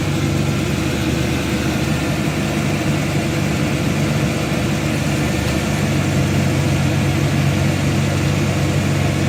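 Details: 2002 Dodge Intrepid 2.7, 213,000 miles, after tightening a loose alternator belt that squealed when the wheel was turned: steady, even idle with a low rumble and no belt squeal or chirp; normal idle.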